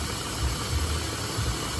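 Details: 2014 Ford F-150 3.7L, after replacing the starter, fuel pump and a sensor to fix an intermittent no-start: a low, steady idle hum with an even beat and no knocks or misses.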